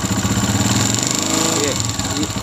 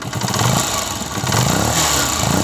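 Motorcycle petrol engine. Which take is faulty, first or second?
first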